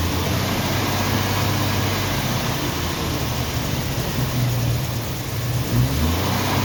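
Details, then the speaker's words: Carbureted 1990 Jeep Wrangler with new fuel tank, possibly still cold: uneven, lumpy idle stumbling every few seconds, shaking hard, then stalling; sounds like a misfire, owner may pull plugs, cause unconfirmed. "sounds like he's missing shaking like the dickens and quit me so"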